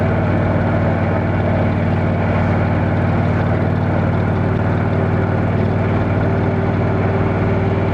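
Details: Motorcycle on a road test ride after replacing the failed exhaust gasket with a similar-thickness one: smooth, even low drone, no ticking or puffing at the joints; exhaust leak fixed, sounds sealed and healthy.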